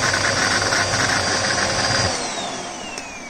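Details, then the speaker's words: Bosch Sphera 27 1700 W vacuum cleaner running: high motor whine with a coarse loud rattle, then winding down; suspected failed motor bearing, internal motor problem. "какая-то внутренняя проблема двигателя скорее всего подшипник Можно ли поменять подшипник будем сейчас смотреть"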